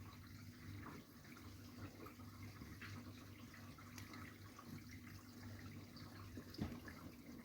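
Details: Whirlpool UK dishwasher (model WFC3C33PFXUK) right after filling at cycle start: steady low tuba-like drone under splashing water, followed by machine-gun-like noise; cleans perfectly, noise only at beginning, cause unknown.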